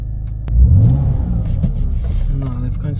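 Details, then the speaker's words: BMW E46 320i drift car after fitting a ZF LF30 power steering pump: the engine revs with a low, even drone and the old pump's whine is gone. The steering feels slightly lighter; normal. "finally, there's no whining. It's strange. The steering seems a little lighter than before."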